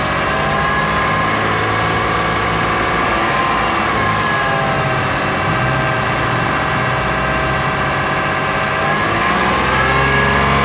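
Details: Lexus RX330 with 3MZ-FE engine, warm, revved through 1,000–3,000 rpm: dull knocking under the hood following engine speed beneath the exhaust note; owner suspects piston knock, source unclear.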